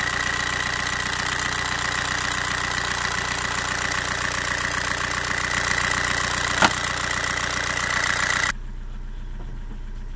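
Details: Old TDI 90/110 hp rotary injection pump diesel: steady idle with even clatter and faint uneven pulse, running lean after the pump quantity adjuster was tightened; pump body scored and O-ring leaking, needs stripping again.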